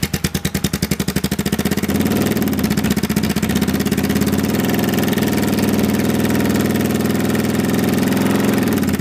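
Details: 1995 Kawasaki Vulcan 750 V-twin idling: an uneven mechanical clatter rides over the exhaust beat, steady with revs held; it persists after replacing the cam chain tensioners with manual ones, so the source is still unidentified.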